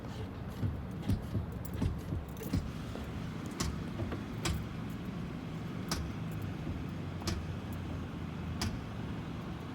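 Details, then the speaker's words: 2009 Ford Fusion after front driver-side wheel bearing replacement: sharp metallic clicks about once a second as the brake is pressed and released while reversing; ABS light stays lit; cause unknown. "I notice every time I tap my foot on the brake it make it like a little of thumb noise"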